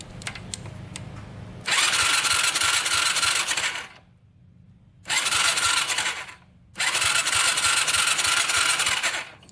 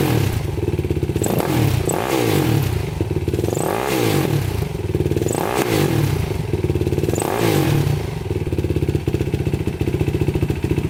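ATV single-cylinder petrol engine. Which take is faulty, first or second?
first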